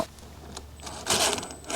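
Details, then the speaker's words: Axial SCX10 III Jeep JLU 1:10 RC crawler: small electric drivetrain whirring with sharp, uneven clicks while reversing, absent going forwards; front differential clicking in reverse. "You can actually still hear it in the reversing. There's this funny clicking. That's the front diff."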